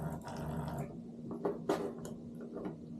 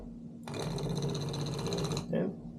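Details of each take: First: Known-good Simagic P-HPR Neo pedal haptic (unit ending I64, the control) on the clutch port of a P2000 haptic control box: coarse low buzz lasting under a second, then handling knocks; even vibration that feels and sounds as it should. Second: Defective Simagic P-HPR Neo pedal haptic moved to the brake port of a P2000 control box, sounding the same as on the clutch port: harsh buzzing rattle for about 1.5 seconds, then a short burst; something loose clunking inside, cause unknown.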